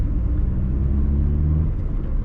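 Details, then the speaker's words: 2004 car, 20 years old, driven after the clutch, which was making a noise under the hood and had seized, was repaired: steady, smooth low rumble with no grinding, whine or clutch noise, and the car now feels soft. "Então o carro pelo visto tá bom agora, bem macio."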